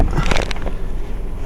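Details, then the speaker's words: 2010 Toyota Tacoma regular cab HVAC on defog, noise from under the dash: low rumbling roar with rough scraping bursts at start; blower motor noisy and failing. "so yeah the noise is coming from somewhere under here and I have no idea where the actual heater core for this truck is I think this is just the blower motor right here"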